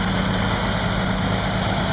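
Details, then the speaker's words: Pierce 1,500 gpm pumper engine while auto-priming the pump through 6-inch hard sleeve at about 16 ft lift, air bubbles still coming: loud, even drone, no knocks or surging; normal. "We should start to see some changes occurring as the pump casing fills up. You can see still has some air bubbles coming through."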